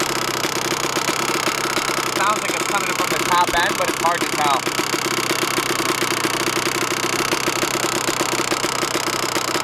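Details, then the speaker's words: 125 two-stroke dirt bike (YZ125/KX125 pair), sat unridden most of the year: super loud sharp, rapid ticking at idle that goes away when revved; owner thinks it's top end but can't locate it; top end rebuilt about four times with new piston and rings, and power valve checked, all fine. "The thing fired right up, but listen to this motor, it's definitely not right. It goes away once you rev it, but on idle, it has a super loud ticking."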